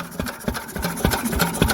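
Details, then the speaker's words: Single-cylinder Lister stationary engine after a magneto chain adjustment. Steady thump about three beats a second with light clatter from the exposed valves. First runs to temperature in 40 years. Oil and points are to be rechecked. Runs evenly and healthy. "don't the old girls start noise that is absolutely splendid there we go before i run this next time i'll go over the oil and points again yeah listen i don't see sunday yep that sound an absolute treat and i love it"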